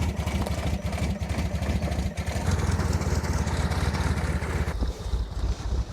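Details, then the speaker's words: R56 Mini Cooper S, N14 engine, automatic gearbox, after head rebuild: lumpy, uneven pulsing under revs with stumbling rhythm and no clean pickup; rough running caused by camshafts timed wrong during the rebuild. "I don't really know what to say, but we made quite a big mistake and I'm partially to blame. And I'm just amazed that this engine is still even running."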